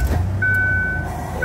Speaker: It's going to flash twice. You're going to hear the parking lights chirp.